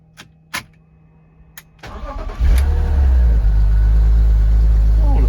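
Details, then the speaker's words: Long-neglected BMW Z3 M, oil and water checked, fuel pump primed, first start in ages: a few faint clicks, then it cranks, catches quickly and settles into a strong, steady low idle with no misfires. Normal start and idle. "beauty. That's the first time it started in ages."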